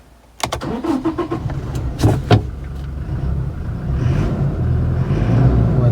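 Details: Toyota Hilux after fixing hard starting by replacing the clogged fuel filter assembly: a few quick cranking clicks, then the engine catches at once into a steady low rumble; clean first-crank normal start.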